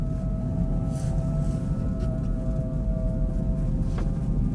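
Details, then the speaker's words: Kia e-Niro pulling away at about -35°C with the battery at about -20/-13°C. A steady, siren-like high whine with an overtone rides over road rumble: a noisy drive motor. Its pitch lowers during brake regeneration. "oh that motor's noisy as hell sounds like a world war two clarkson siren air raid siren"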